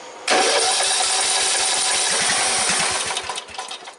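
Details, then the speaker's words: 14.5 Briggs & Stratton lawn tractor that died in the yard, cranked with a spark tester on the plug wire: about three seconds of cranking with a brief catch that fades; spark and compression confirmed. "Okay, it tried to start. That's the best I've gotten in a while. So we have compression. We have spark. And it did try to start for once."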